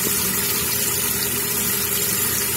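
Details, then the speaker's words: Running toilet, tank open: constant hiss of water flowing into the bowl without letup because the flush valve flapper isn't sealing; fix is to seat the flapper. "Flap open, water going in. Bowl filling up. Got to make sure the flap is sealed and there's no water escaping under the flap."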